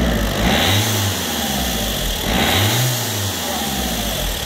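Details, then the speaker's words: Renault Clio diesel, revved: rushing hiss swelling each time the throttle opens; failed boost hose at the turbo outlet leaking charge air. "on entend très bien la défaillance de la durite comme vous venez de l'entendre"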